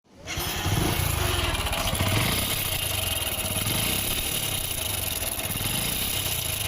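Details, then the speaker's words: Hero Splendor motorcycle engine starts into a loud, rough metallic clatter; on opening, the cam sprocket (wheel) was completely worn and the timing chain gone, with the side cover's oil leaking and full of dust. "Hi friends ఇందాక sound అయితే విన్నారు కదా పూర్తిగా మనకి engine పగిలిపోయేలా sound వస్తుంది. ఇక్కడ వేలు పెట్టిన చోట వీల్ అయితే చూడండి పూర్తిగా అరిగిపోయింది టైమింగ్ చైన్ కూడా పోయింది."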